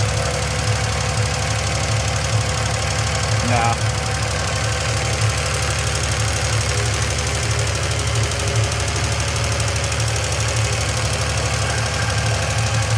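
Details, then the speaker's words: 1971 Triumph TR6 six, after 20 years stored, at rough idle. Quick, light metallic ticking in time with the engine. The rocker shaft is skewed, and the pedestal oil feed into the shaft's center is believed not to be reaching the rockers. "do believe that's the issue though. It probably comes up through one of the pedestals is the oil feed and it goes down the center of the rocker shaft and oils each one of them."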